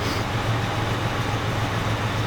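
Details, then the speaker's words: 1985 Jeep Cherokee Chief two-door with a carburetor believed rebuilt and a new exhaust: starts right up into a deep, steady idle with an even low beat and no ticking or knocking; normal idle. "starts right up carburetor is in great condition I think it was rebuilt the engine sounds great it runs really well"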